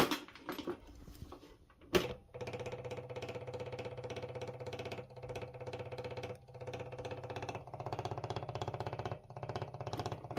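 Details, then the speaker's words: Maddog Ruckus 150cc scooter with key on and engine off: the electric fuel pump gives a steady low buzz with quick rattling pulses. Owner suspects the pump may be draining the battery, unconfirmed. "I don't know if you guys can hear that little like rattling or vibrating sound. That's like the little pump that throws the gas obviously from the bottom to the top in order for the carburetor to start or get gas."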